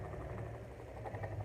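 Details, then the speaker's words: Mondial fan with customer-reported noise, previously worked on by another shop: steady low motor hum with faint irregular scratchy rattle, intermittent; owner unsure if shaft or gearbox, stops very quickly; fixed by replacing bushing. "então ó é um barulhinho chato que eu não sei se é eixo eu não sei se é este parece é eixo"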